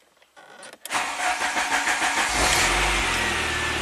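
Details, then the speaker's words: 1993 Saab 9000 CSE Turbo with high 1,400 rpm hot idle, throttle stumble and flashing code 5 (TPS signal?); on restart the starter churns steadily over a second before the engine catches; long crank before start. "long crank time there well why is it saying radiator level I have no idea"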